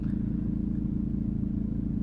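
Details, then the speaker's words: 2003 VW Passat B5 1.9 TDI 130 hp diesel idling: loose, uneven rattle from the front engine area, intermittent, sometimes louder; not the engine cover, owner suspects the coolant bottle or something shaking; cause unconfirmed. "this rattle is intermittent sometimes it goes quite some time it goes louder this is the loudest I would say it it goes"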